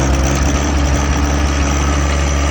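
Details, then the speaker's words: John Deere 1023E diesel tractor, first start after petrol was accidentally added and drained, fuel system primed: deep steady diesel thrum with a slightly uneven, lumpy beat. Running a little rough and smoky at first, but it started. "as you can see, it did start. A little rough and smoky at the beginning, but"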